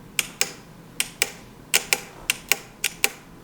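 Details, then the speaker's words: CB750 chopper starter solenoid bench-tested by jumping power with a cable: sharp clean clicks in pairs as power is touched on and off; solenoid pulls in properly, fault is missing signal on its two harness wires. "you can hear the solenoid collapsing. So our solenoid itself works."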